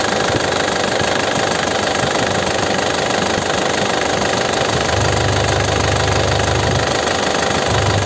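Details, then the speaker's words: 2009 Isuzu Panther LS Turbo manual diesel, engine bay open: steady crisp idle with usual diesel clatter and an even rhythm, no misses or rough patches, no smoke; engine sounds healthy, normal diesel idle. "Ini mesinnya suaranya renyah ya. Kondisi mesinnya seperti ini."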